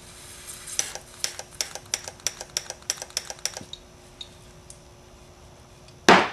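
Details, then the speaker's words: Single Bosch EFI injector triggered by a 9 V battery on a homemade test rig: about a dozen crisp, even clicks at roughly four per second, then a spray hiss of carb cleaner; the injector fires cleanly and tests good. "okay hook up the 9vt test the injector you hear it clicking"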